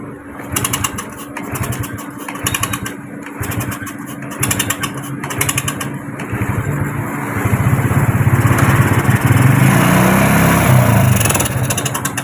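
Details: Farmer's motorcycle that would not start due to a faulty coil (spul), after repair: single catches, brief stumble, then settles into a steady even putter rising slightly; now running normally.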